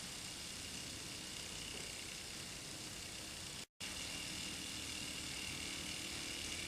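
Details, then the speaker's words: Hero of Alexandria aeolipile model steam engine at about 3000 rpm, nearly out of water: even, steady hiss with a faint high whistle, no surging; normal high-speed run. "probably doing about 3000 rpm it's about to run out of water"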